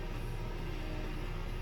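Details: 2006 Nissan Tiida/Versa C11 after fuel pump replacement: steady, even low rumble with no misses, stumbles or knocks; engine idles smoothly with the new pump running and fuel supply holding up; normal idle.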